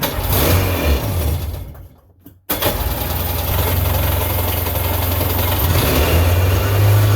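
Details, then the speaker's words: 1999 Sea-Doo GTI two-stroke with rebuilt single carb, new fuel and oil lines, 148-150 psi compression, first fire-up: cuts out, refires, then a buzzy surging idle. Idle needs adjusting; owner suspects the fuel selector switch. "oh okay she's running we can need we need to adjust that idle"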